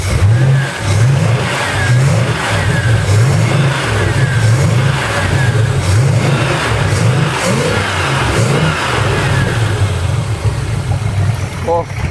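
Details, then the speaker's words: Engine in neutral after testing: climbs through repeated clean revs and settles back each time, even and smooth with no misses or knocks; running healthy. "look so good oh it's even better listen to this when it revs up"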